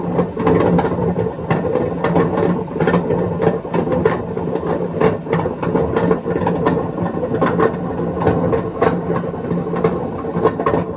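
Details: 2012 Beko WMD261 washing machine on spin-and-drain test: loud rumbling roar with rattling knocks throughout the spin, pointing to failed drum bearings.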